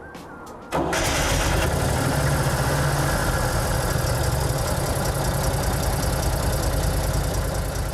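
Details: 1955 Daihatsu SEC three-wheel fire truck, 1130cc V-twin, restored: short starter-motor whirr, then the twin fires at once and holds an even, steady low idle with no missing; normal start and idle.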